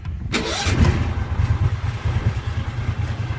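Starter cranks briefly, then the engine catches and settles into a steady, even low chug; starts and runs normally.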